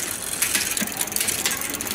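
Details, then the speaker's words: Bicycle front derailleur during assembly, after the limit screws were checked: crisp clicks as the chain shifts small to middle to big ring, with no grinding or chatter; the front shifting is judged good. "On this particular bike, I would consider the shifting good."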